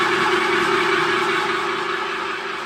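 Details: New 3-meter screw conveyor on its factory test run after fitting the motor and reducer: steady, even drone with a constant mid-pitched hum, no knocks or scraping; normal running.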